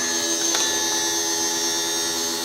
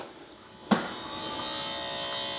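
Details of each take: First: BMW 760Li V12 with a replacement boot lid pump fitted: steady electric motor hum at clean, even pitch for five seconds, then clunks as the lid settles; boot now opens properly; the original pump possibly wasn't supplying enough pressure or was pre-LCI on an LCI tailgate. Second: BMW 760Li V12, boot lid release pressed: a click, then a thin, steady electric whir that never changes pitch; lid won't raise and must be lifted by hand; struts replaced a year ago, so the hydraulic pump is not building pressure.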